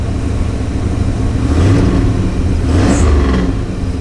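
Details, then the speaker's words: 1982 Chevrolet C10 2WD with 305 TBI V8 (replacing factory 350 diesel) and 700R4, just got running after plug wire fix: revs up and settles twice, deep raspy burble, no misses; healthy. "Ooh, it sounds like it got some glass packs in there too."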